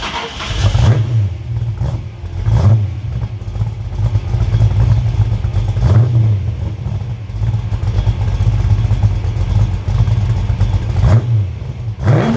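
Engine fires and revs in repeated swells, settling between blips with a steady low rumble; carburetor running cleanly after rebuild.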